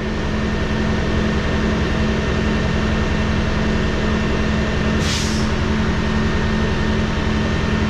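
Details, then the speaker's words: Rebuilt Cummins ISL9 (in-frame rebuild after dusting), not yet at operating temp, idle raised about 100–200 rpm via cruise with engine brake on: smooth steady drone with a short air hiss. A slight labor came from the air compressor cutting in when the dryer purged. "And I set the cruise and bump the idle up. Engine brake on, idle increase. That's it. Really? That's all you're gonna give us is that? About a 200 RPM or 100 RPM increase?"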